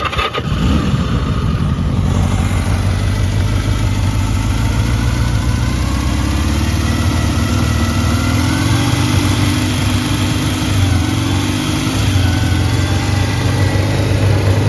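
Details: 1979 Kawasaki KZ650 SR motorcycle, listing states 11764 miles; over-revs a bit and is slow to return to idle. Fires quickly and settles into a steady, even idle with a smooth low note and no knocks or misses; starts well and the motor sounds good.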